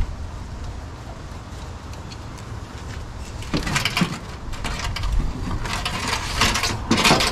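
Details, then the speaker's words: Toyota 2H turbo diesel cranking with lopsided beat, one compression stroke weaker like a dead hole; fault traced to number one cylinder by cracking injector lines, owner suspects broken rings, not a dropped valve; uneven cranking. "so it did make a funny noise this morning whilst striving it so I'm wondering if it's broken rings and then the way it cranks it cranks like it's got a dead hole"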